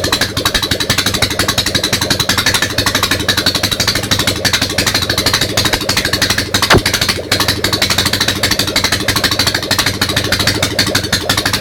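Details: Ural motorcycle twin, first start after a major engine overhaul, run on only one carburetor: uneven, lumpy idle with irregular firing pulses and a rough, loping beat.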